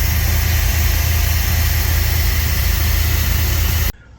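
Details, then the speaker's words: 1993 Chevy K2500 junkyard truck, cold in garage: heavy low V8 rumble with uneven wavering pulse, engine visibly shaking; runs better once warmed a minute or two, previously drowning in gas; rough idle, cause not confirmed. "Okay, now it's running. It's running a little bit rough."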